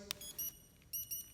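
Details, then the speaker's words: Polaris 120 snowmobile (2000-2017) with newly installed RES6VX remote cutoff, transponder blue wire spliced to black, green to brown: click then two short high beeps on unlock; normal unlock confirmation. "Make sure that your power is on. Here, hit the unlock, hear it beep twice."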